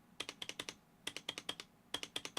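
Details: Roccat Vulcan 120 Aimo with upgraded PBT keycaps: bursts of crisp bright key clacks, clean short decays, sturdy space bar with no rattle, unlike rattly Cooler Master and Corsair boards.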